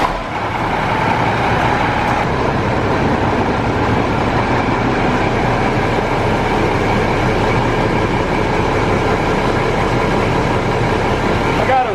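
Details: Mack grain semi diesel after field aluminum weld repair of punctured intercooler: loud, steady roar at raised revs, about 1,500 rpm, no hiss or whistle; charge air holding, no boost leak.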